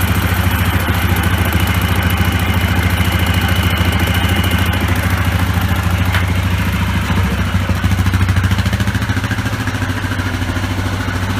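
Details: Yamaha Grizzly 660 single-cylinder ATV idling after throttle cable replacement: deep, even thump about three and a half beats a second, steady with no misses; healthy normal idle.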